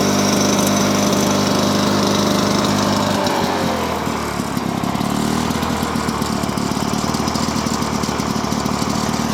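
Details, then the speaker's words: Lawn-Boy mower with F series engine and three-speed transmission, still a little cold; even two-stroke buzz that dips in speed around four seconds, then holds a steady, clean beat, running smooth and healthy. "this thing is an absolute beast i love this motor this is definitely like my favorite mower now it's super smooth"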